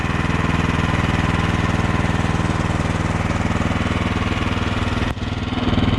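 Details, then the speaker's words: Troy-Bilt 2620 snowblower engine running in snow after about a minute of warm-up; initial surging has stopped, now a steady even beat around four pulses a second, smooth and healthy, normal running after warm-up. "in the beginning it searched a little bit but that's the thing with these uh troy built is that you warm them up for about a minute and it stops surging"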